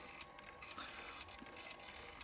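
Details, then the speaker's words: First-version Wolverine Reels2Digital MovieMaker 8mm/Super 8 converter, opened up; take-up reel keeps stopping. Faint irregular ratcheting and ticking from the drive, not turning cleanly; owner suspects the sticky drive belt, with melted tar-like belt material on the pulley. "elieve it may have to do with that sticky drive belt if anybody has any thoughts on this let me know"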